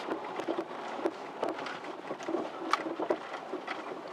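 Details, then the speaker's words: Ford Taurus driving over bumps: irregular front-end clunks and rattles over road rumble from worn front sway bar end links, originally plastic; fixed by replacing them with steel end links. "anytime you hit a bump you get a rattling noise in the front hear"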